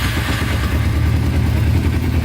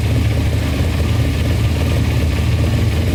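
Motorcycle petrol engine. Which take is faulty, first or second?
second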